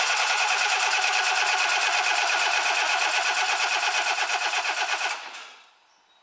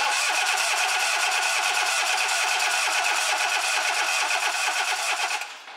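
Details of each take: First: Relative compression test with a scope and amp clamp. Steady, evenly spaced cranking beats with no weak or skipped stroke. The engine is judged good, with nothing wrong with its compression. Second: Four-cylinder engine cranking on the starter with number one spark plug removed during a relative compression test; steady cranking about three beats a second with a lopsided rhythm, one compression hump missing each cycle, from the cylinder without compression.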